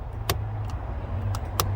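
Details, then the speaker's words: 1976 Jaguar XJC 6-litre V12 at low idle after cleaning the dipper switch earth contact under the steering column: crisp relay clicks, about four in two seconds, as the headlight relay switches properly; right-hand high beams still not working. "I can hear the relay going off and on. Well, that's pretty groovy."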